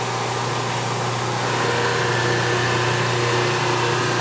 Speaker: you can hear that sound on the camera that is a good sound even though I don't see any spark I can kind of feel and hear that is taking metal away